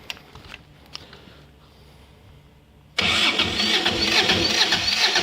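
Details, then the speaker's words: Kubota GL6500 diesel generator, cold start with no air filter fitted: starter labors at about two compression beats per second, cranking too slowly on a weak battery; it fires but shuts itself off, with some seepage visible. "it's turning over too slow kind of so oh see she to shut herself off again but when it shuts it off it still fires"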